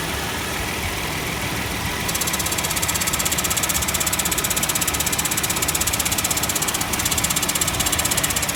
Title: エルグランド e51 エアコン異音